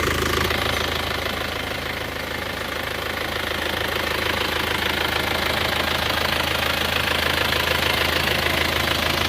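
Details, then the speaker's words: Isuzu Panther diesel after engine block repair, valve clearance not yet reset: idle with fast regular light ticking about three per second over the clatter; excessive valve clearance still needing adjustment, otherwise smooth. "ini belum sety clep juga ya belum set clep lagi k clubnya tadi sudah tapi ini belum di-setting ulang jadi ini masih perlu setting-setting ulang lagi"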